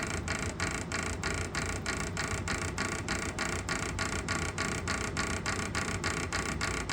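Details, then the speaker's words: Pulse motor with magnets under the rotor, the shaft resting on stacked bearings: sharp regular clicks about 3.5 per second over a rough hiss, with the rotor slowing down too fast under load; cause unconfirmed. "see now here's the load I was talking about oh it sounds like it's the load you hear that should not be slowing down that"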